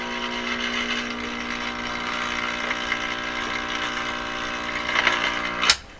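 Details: Admiral Y846 five-tube vintage radio, first power-up on a current-limited supply before repair: loud, steady low buzz over everything with no station coming through; heavy AC hum, tubes operating, cause not yet pinned down.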